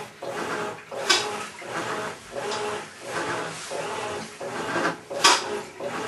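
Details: Maytag Centennial Commercial Technology washer, about 14 months old, just past one-year warranty, overloaded for demo: harsh gravelly grinding like a cement mixer churning gravel swells with each agitator stroke, roughly once a second, during wash agitation; cause not confirmed.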